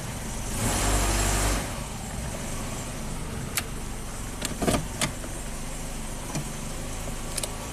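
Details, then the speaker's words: 1997 Kia Sportage 4x4 after surging-idle repair: even, low idle about 800–900 rpm, no hunting or surging, steady as fan and lights come on; fuel trims within 1%, airflow 4.1 g/s, no codes, healthy idle. "Seems to be pretty happy. So live data is looking absolutely phenomenal."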